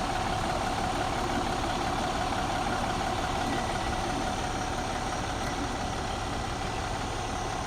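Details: 2014 MCI J4500 coach with a fresh engine (listed as Cummins, also called Volvo) and Allison B500 transmission, rear engine bay open on a hot day: steady, even diesel idle with a smooth low rumble and no knocks or misses; healthy.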